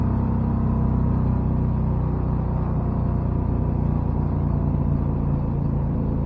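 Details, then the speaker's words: 1969 Renault R10 with a 670cc Predator two-cylinder V-twin and a CVT drive, four-speed manual left in third: steady, deep rumble that holds even under load with no knocks or misses, pulling smoothly and healthy, with the CVT colouring the sound. "the two-cylinder v twin engine actually sounds wonderful ah and the CVT drive system sort of well it ruins the sound a little bit but I'm okay with that"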